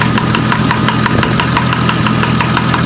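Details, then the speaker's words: Mark III Toyota Supra idling steadily while the MAP sensor is tapped with a screwdriver; light taps about three times a second, idle never wavers, so the MAP sensor is good. The engine had been running rich with a possible misfire. "And see how the engine's just staying steady? That means that this map is good."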